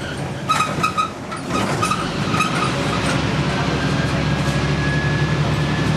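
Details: Stagecoach Fife Volvo B10M/Alexander PS-type bus 20335 (R335 HFS), in poor health, screeches while driving on route 39: thin high squeal in short chirps over engine and road rumble, then a faint held whistle; cause not confirmed.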